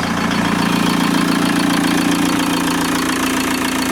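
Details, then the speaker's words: VW T25 van with a swapped TDI diesel, after injector overhaul with new larger nozzles, ticks over evenly and smoothly with no rattle or misfire. It is far quieter than before; healthy idle. "Well, that gives you a much better idea as to how quietly and smoothly this engine's ticking over. I mean, I'm just talking in my normal talking voice now, and it's a thing of beauty, folks."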